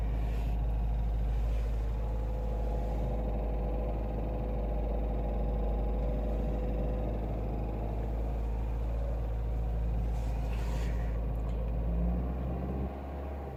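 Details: Renault Mégane I phase 2 1.6 16v K4M, 2,000 km after oil (Valvoline MaxLife 10W40) and timing/water pump change: warm engine, throttle held, recorded in cabin passenger side; light fast uneven rattle over drone — loose oil pump chain, pump slightly binding, both to be replaced.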